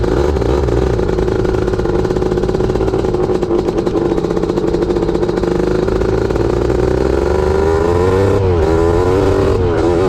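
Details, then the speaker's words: Honda CR500 two-stroke Schwinn trike after jetting attempts: loud revving with blubbery, uneven note that doesn't crisp up; runs strong but owner feels it's down on power, not running like a 500. "You know, this thing I was jetting it, trying to mess around, and it just didn't wasn't running like a 500. I mean, it runs strong, don't get me wrong, but I'm expecting more."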